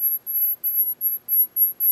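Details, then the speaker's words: Bitspower dual pump top with D5 pump while filling a PC water-cooling loop: thin piercing screech as pump spins dry with no water inside; pump is self-lubricating, so stop it and get water in. "this means the pump is dry and there still no water it time so basically if you hear like really screeching noise like that"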